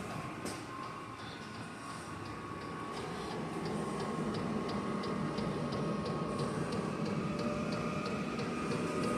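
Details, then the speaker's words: Diesel heater starting up in a 56-degree shop, run from a battery on a charger and drawing about 15 amps at startup: the fuel pump ticks about four times a second as the fan swells louder; normal startup. "It's ramping up. It's getting itself started."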